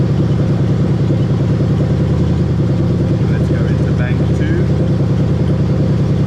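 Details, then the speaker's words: Lexus GS430 3UZ-FE VVT-i V8 half-cut running on a plug-and-play harness for an IS200 swap: steady idle beat with odd chirping as the VVT solenoids on bank one and bank two are activated; the solenoids respond normally. "so now we're gonna test those dbti solar noise and you're gonna hear the engine make a really weird noise when i test it"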